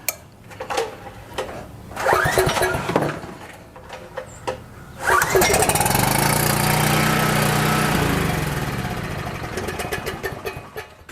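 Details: Coleman PowerMate 6560 generator with rebuilt carburetor, started on choke: a few pulls, catches, runs unevenly about five seconds then dies; runs only on choke due to an air leak at the carburetor gaskets.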